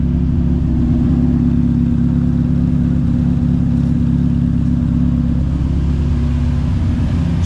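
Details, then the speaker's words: TVR Cerbera V8 now running on a Haltech Nexus R3 ECU with ignition idle control, air-fuel ratio 13.3 on both; smooth, even idle with steady low burble, no misfire, hunting or knocks; idling perfectly. "uh Yeah, this is kind of where I wanted to be. Uh she's idling perfectly."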